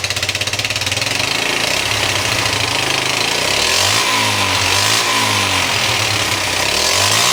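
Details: 1973 Honda CB100 after replacing spark plug, plug wire, coil and points for weak spark, hard starting and no idle: engine fires and revs unevenly, stumbling, won't settle to idle; still running rough.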